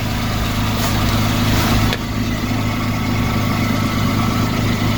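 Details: Citroen C1 after fitting a new exhaust back box with two clamps and paste, at start-up: smooth, even idle with no puffing or ticking at the joints; the exhaust is leak-free and healthy.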